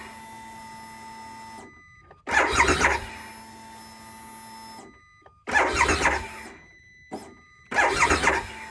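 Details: 2022 Harley-Davidson Pan America at 30°F, battery reading 12 volts: three one-second cranking bursts, never fires; cold no-start, earlier starts threw codes, and a starter gear service bulletin is pending. Cause unconfirmed.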